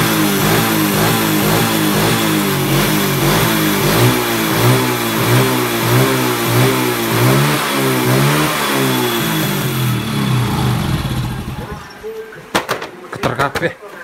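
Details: Honda Supra motorcycle engine after repair of a tek-tek noise from the cam chain and piston: small single revs rise and fall cleanly with a steady, even beat and no tapping, then shut off; result sounds healthy.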